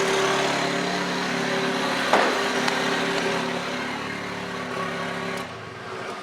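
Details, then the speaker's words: Datsun, first start in neutral after rewiring, fuel pump working: steady, even idle, smooth constant hum, no knocks or misses; running cleanly. "All right, now we're gonna crank it. Fuel pump works. Turbo. Running."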